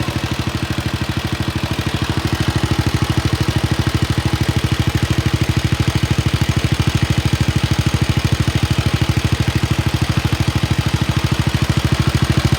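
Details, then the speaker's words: Wheel Horse RS-83 Ride Away Sr. single-cylinder engine first start after fitting new WICO HX magneto coil, points and condenser, choke held; steady even thump at quick idle, regular firing, no misses or knocks, healthy. "i think maybe one one tiny puff of smoke if anything oh it started"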